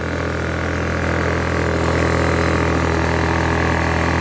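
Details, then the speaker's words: Blackridge 800 W inverter generator, about 2014, after sitting unused, fuel problem earlier: steady, even note with constant low hum and no surging or hunting; normal steady idle. "it's obviously non-running perfect at the Barbican"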